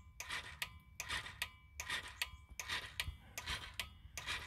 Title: clicking and no start